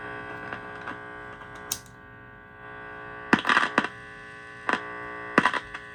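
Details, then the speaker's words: Heathkit IT-12 tube signal tracer with its probe set to RF and touched to a radio: a steady low mains hum with sharp clicks and crackles as the probe touches down, but no RF signal; the owner wonders if the RF/audio labels are swapped, and the cause is unconfirmed. "I'm definitely uh picking the stuff up here. So, I'm just not picking up my RF."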